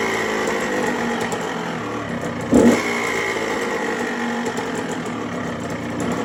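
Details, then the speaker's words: Yamaha two-stroke bought non-running, after the clogged carburetor pilot jet was cleaned: steady, even idle with no hunting, one brief blip, then it settles; runs clean. "everything seems to be good now it runs a idles all day as you can see right here"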